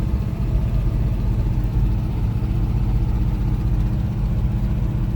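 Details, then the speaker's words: 1971 Chevy C10, tired 307 V8 with 4-speed, on a short drive: deep, uneven exhaust rumble with a lumpy, loping beat. Rough-running worn engine, likely missing on a cylinder. "take it for a quick drive and i'll show you the other engine and that'll be it on this one oh and here capture some of the awful exhaust notes"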